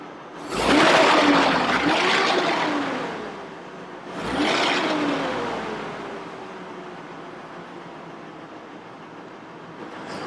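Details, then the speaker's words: 2002 Chevrolet Trailblazer, about 200,000 miles, after replacing the electronic fan clutch: two smooth rising rushes of fan roar as the engine is blipped, easing off, no clicking; healthy, no check engine light. "everything seems to be okay so great now now we know that clicking is because of these electronic fan clutches they go bad"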